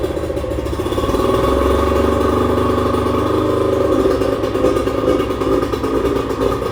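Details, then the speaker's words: 1996 bass boat outboard after carbs refitted with new gaskets and resynced: a steady running note that swells and settles without misses or knocks; healthy and ready for the water. "Good to go, baby. Ready for the water."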